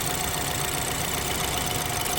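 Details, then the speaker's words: BMW F30 328i idling with a slight misfire; coil drop test unplugging cylinders 1–4 one at a time, each running worse, so all coils good. Uneven lumpy idle with a deliberate dead cylinder; remaining slight misfire from another cause, earlier it was severe. "So what does that mean? That means they're all good. Yeah, so now it's just like something else causing a slight misfire, because it's just a slight misfire now."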